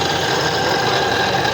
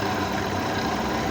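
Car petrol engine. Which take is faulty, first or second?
first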